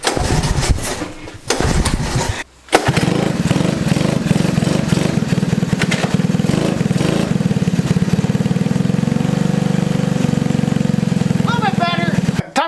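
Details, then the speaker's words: One-owner 1982 Honda ATC 110 three-wheeler, not run for years, idle screw setting unknown, in below-zero weather: after a couple of cranking tries it catches into a loud, chuffing single-cylinder idle that won't settle, running rough. "all right so this guy doesn't want to idle so I have no idea what the idle screw is set at"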